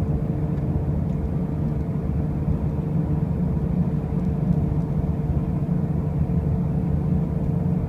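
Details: 2005 Pontiac Grand Prix with brand new wheel bearings and new tires: a constant deep drone and rumble through the whole drive without clear knocks; the source of the loud driving noise remains undetermined.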